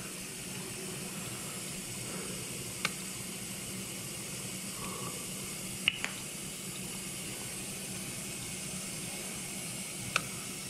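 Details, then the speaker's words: 3-year-old KitchenAid KDTE104ESS2 dishwasher after replacing the wash motor/circulation pump and heating element, rinse cycle with bottom cover off: steady hiss of water rushing in over a faint hum, light clicks, no leaks; normal water fill. "okay we're filling with water that's a good sign you could probably hear it don't see any leaks"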